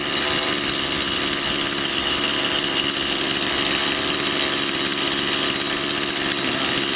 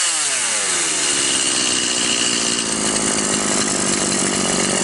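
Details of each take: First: Stihl MS 180/170 chainsaw (non-adjustable carburetor) after fuel was added by adjusting the needle lever to cure power loss: power now good, but a steady high two-stroke buzz never drops to slow idle; idle too high, chain creeps. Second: Stihl MS 180/170 chainsaw after carburetor needle adjustment fixed lack of power and high idle: a high, steady, even scream while cutting wood with no surging or bogging; running normally.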